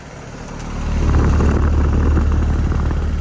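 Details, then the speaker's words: 2007 Bryant air conditioner outdoor unit: as it spins up, a steady rapid rattle builds with the fan at about four beats a second, caused by a badly bent condenser fan blade that needs replacing. "one of the blades is bent really bad really understand it 2007 stop the noise right the fan blade has to be replaced"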